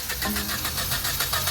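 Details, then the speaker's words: Overheating car, cooled down then cranked in auto crank mode: loud rapid cranking with uneven chuffing pulses and no catch, high pressure build-up pushing coolant out through the radiator; blown head gasket, engine to be replaced. "that's the high pressure build up that's what i mean by the coolant trying to escape from some"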